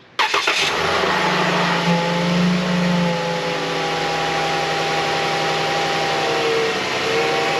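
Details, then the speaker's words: Dodge Journey right after start-up with a thin, steady whine over the idle; owner suspects power steering whine from old fluid rather than a bad pump; cause not confirmed. "Yeah, that sound right there. I don't like it. It's power steering whine, I think. I don't think the pump is bad, I just think maybe the fluid's old."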